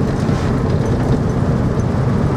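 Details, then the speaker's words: Morris Minor petrol engine on the road after ignition repair: even low drone, no misses, pops or stumbles; no longer threatens to die when slowing down. "one of the main issues was when I would have to slow down because of somebody I can't do now somebody just immediately pulled in and the engine would threat to die and now I got no issues"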